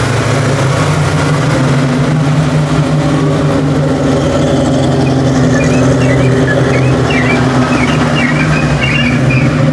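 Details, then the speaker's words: 1989 Mustang notchback with a rebuilt carburetor, warmed to operating temperature: even, steady idle rumble with no stumble or misfire. The earlier rough running is attributed to the engine being cold; it runs cleanly once warm. "but I think the car was just cold so once I got it up to operating temperature everything seemed to be pretty kosher"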